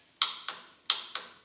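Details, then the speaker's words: Sawmill with a Briggs V-twin Vanguard engine, key turned to start: sharp dry clicks, two or three per second, with no cranking; bad starter solenoid not making good contact. "So, you try to start it and solenoid's bad on the starter. Here's the solenoid. You can hear it clicking,"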